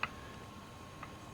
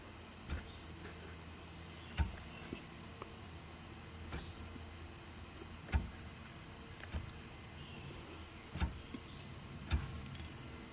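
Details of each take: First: Original open differential removed from a Charger SRT8, input flange rocked by hand: two light, crisp metallic clicks about a second apart, virtually no play, normal gear backlash, compared with the excessive play of the installed Wavetrac. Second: Dodge Charger SRT8 with newly installed Wavetrac differential, on ramps, parking brake on, input flange rocked by hand: irregular dull clunks from excessive play; bumps when shifting Drive to Reverse.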